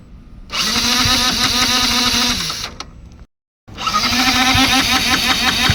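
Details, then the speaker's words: Yamaha MT-15 motorcycle: self-starter motor cranks in two fast whirring bursts but engine won't start; after charging twice it still wouldn't fire, owner suspects the Flipkart-bought part fitted lacks power. Cause suspected, not confirmed. "இப்ப வந்து self motor ஓடுது. ஆனா engine start ஆகல."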